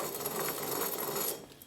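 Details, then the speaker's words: 2014 Ford Focus 2.0 L with a loud growling noise while driving. Removed press-in front wheel bearing spun by hand gives a dry, gritty whirr that fades as it slows. Worn wheel bearing, being replaced. "oh man these bearings are really bad can you guys hear the noise"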